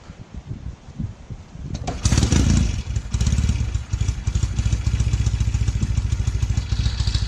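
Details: 1968 Norton Commando twin, restored, new NY7C plugs fitted, carbs tickled: a few kicks, then it catches and settles into a steady, even twin beat with no misfire; starts and runs cleanly.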